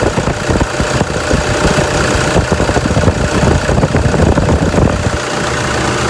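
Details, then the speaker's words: Toyota Fortuner 2.5 G VN Turbo diesel, registered 2011, one owner; even, rhythmic diesel clatter at steady idle, no irregular knocks or misses. Engine described as quiet and very smooth, no blow-by at dipstick; healthy. "โอเคเดี๋ยวผมจะมาสตาร์ทให้ฟังเสียงเครื่องกันนะเครื่องเงียบเดินเรียบมากๆนะครับ"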